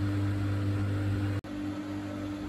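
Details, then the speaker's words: Bosch WFK2801 washing machine that showed error 03, stuck full of water after a 40-degree cotton wash, set to spin after a drain test that sounded right: steady low motor hum briefly cutting out once; drum spins up normally. "So I've set it to spin, it's spinning up fine. I set it to drain out before and it made the right noises, so I'm not sure."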